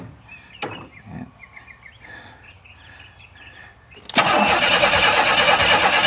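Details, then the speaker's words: 1994 Chevrolet Astro van with newly installed remanufactured engine, first start attempt: starter spins loud and labouring for two seconds, engine never catches; owner suspects ignition timing still too far advanced, kicking back counterclockwise. "okay okay that sounded like it's too far Advanced H too far Advanced what do we want to do next here cuz it it it sounded like when it did fire it wanted to push it back not it didn't want to go clockwise it wanted to go counterclockwise on the crank shaft so that means it's still too advanced"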